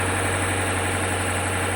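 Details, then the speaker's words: Flood-damaged 2020 BMW M850i, first idle after fresh batteries, reconnection and fluid check: fires right up into a steady, even idle with a smooth low hum and no knocks or misses; running cleanly. "At this point, with everything reconnected, the car fires right up. It looks like we're on the right track with the car. That's the first time it's ever idled."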